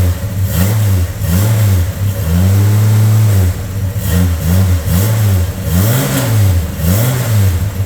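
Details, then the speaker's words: VJ Dodge ute after front suspension rebuild, with new custom 2-inch exhaust and proper muffler, heard at the rear: repeated throttle blips rise and fall cleanly with a deep, even note, no rattles or blows; healthy exhaust expected to change tone slightly once driven. "doesn't sound too bad so once it's driven for a little while uh the exhaust will sort of pack in a bit and um yeah she'll she'll change tones slightly"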